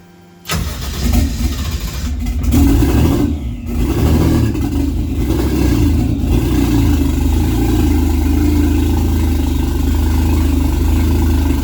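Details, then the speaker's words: Toyota 1JZ engine in a Nova, first real start: cranks, catches and settles into a lumpy, uneven, loping idle, likely misfiring; owner suspects plugs fouled from earlier test-firing with starting fluid, seems to clear slightly, may pull plugs. "all right we got something funky going on it sounds like the plugs could be fouled from when I test fired it with the starting fluid so it seems to be clearing up a little bit though"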